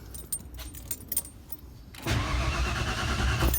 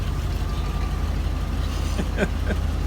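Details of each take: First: 1992 Ford F150 after installing a new Spectra fuel pump, pump switched on, quarter tank of gas: starter spins the engine evenly for about a second and a half but it never catches; no fuel reaching the rail. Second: 1992 Ford F150 just after fuel pump replacement, first run in a while: low steady idle with even firing, no misses or knocks, light background clicks; healthy, may need new air filter.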